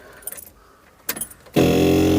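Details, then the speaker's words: Skoda Estelle 120 with Rover K-series engine swap, tank emptied: after key-on clicks, electric fuel pump hums steadily with faint high whine, dragging petrol up to fill the dry carbs before first start. "you go, it's a fuel pump. You can hear it just dragging petrol up."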